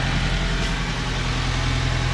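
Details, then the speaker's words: 2006 Toyota Hiace just after a full service including spark plugs, running to check for oil and coolant leaks: a low, even, quiet idle with a steady beat and no misses or shaking; healthy. "Okay, she runs very quiet now. Beautiful. No shaking at"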